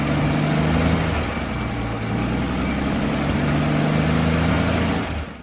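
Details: 1959 Dodge Coronet V8 after fixing a sticking carburetor needle valve that kept fuel from entering (car would only start when primed); low, steady burble with a slight lope, holding speed evenly; normal idle.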